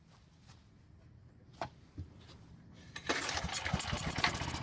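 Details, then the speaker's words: Long-sitting Powermate generator, carb test-fitted without air box and fed fuel directly through short line instead of the tank: a few pulls and pops, then fires and runs with quick, fairly steady bark; old fuel and carb confirmed as no-start cause. "That pretty much confirms what we suspected. The fuel and more importantly, the carb was keeping us from starting the generator."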